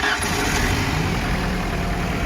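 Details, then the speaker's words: Ford Ranger, restarted after it ran out of gas and was refuelled: it catches and settles into a steady, even idle with no misses or knocks; normal idle, and the truck then goes into gear and drives. "well we got some gas in it let's see if she'll run a little longer"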